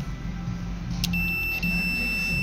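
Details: VW Up with dead heater blower, rear wiper and cigarette lighter: terminal 75 relay tested with a Power Probe; clean, steady high meter beep as the coil is powered shows contacts closing; relay switching normally.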